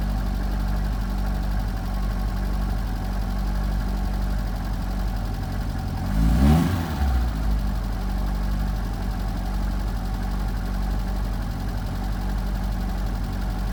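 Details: 1978 Fiat 124 Spider with rough idle under diagnosis: low uneven idle with a lumpy, irregular beat and one quick throttle blip midway; cause not yet found.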